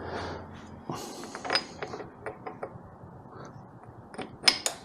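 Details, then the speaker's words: 2008 Suzuki DL650 V-Strom with an 18-inch rear wheel, new 120-link chain and sprockets, front sprocket fitted reversed to align the chain. Wheel spun by hand gives light ticking and whirring, turning freely without grinding; normal. "That is looking awesome. Spins nice and freely."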